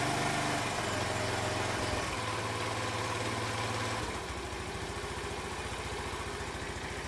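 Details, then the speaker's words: Honda C90 with new OO Racing replacement carb, after shortening throttle cable for free play: fast idle then drops around halfway to a lower, even putter that stays steady; idle settles properly. "Yeah, it doesn't seem too bad."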